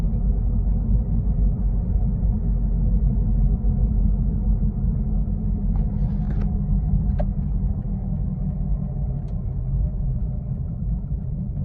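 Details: Steady low droning rumble inside the cabin of a Toyota Corolla Altis while driving, from a worn wheel bearing.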